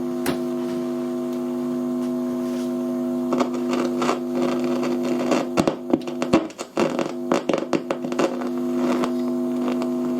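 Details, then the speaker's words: Fidelity HF45 record player with BSR deck, after switch cleaner sprayed on the tone control: steady hum with irregular crackles and sharp pops, unchanged; dirty, partly open-circuit volume and tone pots in the amplifier. "So, we'll plug it back in. Right. And it's exactly the same, crackly."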